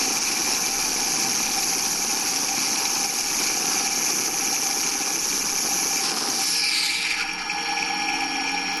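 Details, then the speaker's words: Under-greased rolling bearing heard through an ultrasonic sensor shifted to audible frequencies: a steady rough, hissing grating from metal-to-metal contact that eases as grease is pumped in and spreads through the bearing. "alors là on entend bien la grèce qui se répartit dans le roulement le ruban qui émet un signal un petit peu râpeux ici parce qu'il était saoul graissé j'avais des contacts métal métal"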